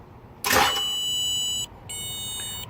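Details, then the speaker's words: Steady high electronic buzz from a hidden starter-interrupt module (somewhere underneath) in a no-start car. It comes on right after the starter is jumped with 12 V direct and the key on, stops briefly, then returns, confirming the module is cutting the start signal. "I hear the beeping sound. I hear the module out here somewhere."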